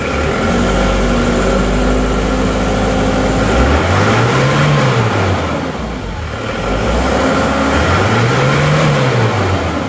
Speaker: tapi kalau mesin Masih dingin kalau kita gas itu Emang biasanya Emang seperti itu keluar asap yang banyak